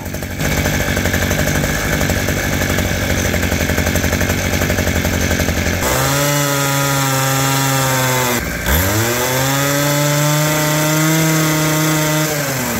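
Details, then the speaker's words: Abandoned roadside two-stroke hedge trimmer, reassembled with throttle cable refitted: fires, stutters briefly, then settles to a steady high buzz; starts and runs cleanly. "What a sweetheart. It's pretty cool."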